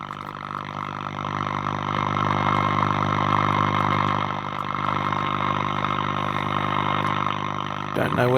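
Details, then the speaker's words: Breville Pick-Me-Up 5 valve radio being powered up slowly during restoration, about 210 V in and 107 V HT: constant low droning hum with buzzy overtones and no programme audible. Hum with no station reception yet. "Can't hear any stations yet, though."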